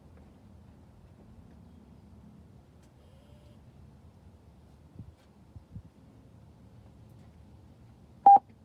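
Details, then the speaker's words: Picoscope mask alarm on one channel, short to ground induced at spots along the wiring harness: quiet room, then one sharp steady beep about 800 Hz; alarm tripping on the induced intermittent short. "i will yell each time i go to a spot on the circuit and i will i will create the short and just watch the scope and listen here we go"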